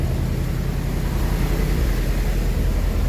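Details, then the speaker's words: Rolls-Royce Silver Shadow 2 V8, sat neglected over 10 years, after twin SU carburettor rebuild: deep lumpy idle, owner suspects a slight miss and a carb hanging up; less smoke, improved. "Definitely less smoke at the moment. Let's have a listen. Definitely think there is a little miss. But hey, it's improved, isn't it?"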